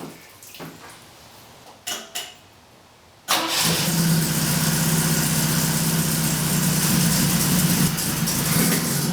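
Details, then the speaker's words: Saab Sonett with V4 engine and carburetor, after radiator hose, thermostat and coolant work: a few quiet clicks, then it starts and settles into a steady, even idle that still needs carburetor tuning. "yeah idol's okay i still have a little bit of tuning to figure out and i'm not that good with carburetors yet"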